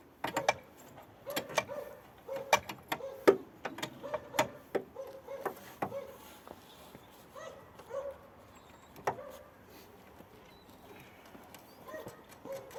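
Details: VAZ classic (Lada) front suspension creaking and short squeaks, about one a second, while driving and turning the steering wheel; worn lower ball joint found as the cause.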